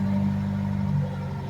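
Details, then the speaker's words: Mitsubishi Lancer project car converted to EFI instead of a carburettor and often left sitting for weeks, started after priming the fuel pump: a steady, even low rumble with no knocks or misses, a normal cold-start idle. "So nag-i-start siya. Pakinggan natin yung kanyang tunog. Ito yung old start."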